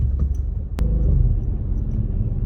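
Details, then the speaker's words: Audi S5 3.0 TFSI supercharged on a test drive, shaking with a lumpy uneven rumble, EPC and MIL on; VCDS shows cylinder 6 misfire and cylinder disabling, after an earlier cylinder 3 misfire and new spark plugs. "so we have a cylinder number six mix misfire detected and sealing the disabling mill on"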